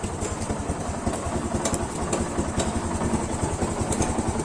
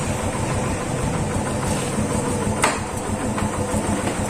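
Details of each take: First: Yamaha FZ150 single with noisy cylinder head, before repair; steady idle with a fast uneven ticking clatter about twice a second from the top end; possible camshaft, cam bearing, tappet clearance, timing chain, guide or tensioner, unconfirmed. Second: Yamaha FZ150 single after timing chain repair that cured top-end noise; smooth, even idle with a soft steady beat and no ticking or clatter, healthy where before it was "singing".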